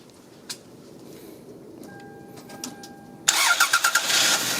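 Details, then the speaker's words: 1996 Toyota Camry in snowy, very cold weather after no-crank fault traced to a bad battery cable connection, battery aging: quiet dash chime, brief crank catching cleanly into steady running; starts fine. "Oh, good enough. Not that bad. Right? Yeah, that's it. Yeah, that's good enough."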